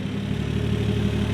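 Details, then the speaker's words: Car engine idling smooth and even with a steady rumble, no misses or knocks, on a revived project after finding the MAF sensor installed backwards; fuel pump temporarily hardwired, runs and revs, sounds great. "So as of right now, yeah. It runs. It revs. We hear it. Sounds great."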